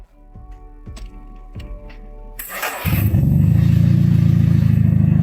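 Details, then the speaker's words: Third-generation Honda Accord (1986–1989), abandoned for years, after oil change and servicing: a few clicks, then catches and settles into a steady, even low idle with no stumbles; engine healthy. "Wow, it's especially smooth. The car is particularly stable. All right, no problem. Including the car, the engine, no problem with it."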